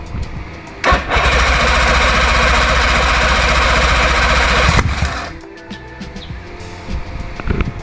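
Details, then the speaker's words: Old OMC V4 two-stroke outboard motor, first start after 5+ years sitting, spark confirmed, fuel primed, choke on; a loud cough, then a harsh roar for about four seconds before dying abruptly; rough, violent start on choke. "Guess that's something. That sounded violent."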